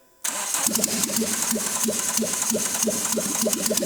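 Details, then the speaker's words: Renault Clio 172 with a newly installed engine, first restart with no exhaust or intake system fitted: catches immediately and settles into an even, loud idle with no misses. "yeah hey had no doubt it runs right I want to see how easy it starts this time"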